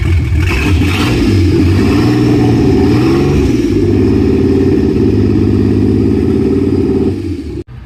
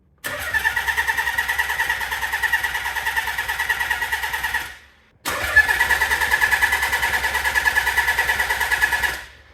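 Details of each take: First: Nissan 300ZX twin-turbo and manual swap running on third start attempt with no exhaust fitted: loud open-pipe revs drop back to an even idle, no ticking or knocking, engine sounds healthy. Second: Nissan 300ZX converted to twin turbo and manual, first start attempt in neutral: two long cranking bursts with good compression but no cough or catch; test light on coil shows no spark despite plenty of fuel, suspected PTU being swapped.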